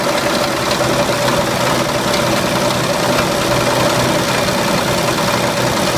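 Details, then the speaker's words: 1929 Chevrolet six-cylinder original engine, last time it ran, runs rough and loud with heavy steady knocking; owner suspects rod knock from worn bearings (bronzinas). "dá para ouvir que ele tá batendo bastante né A princípio a gente acha que ele tá batendo a famosa batida de biela né que fala porque ele deve ter gastado lá o as bronzinas tá"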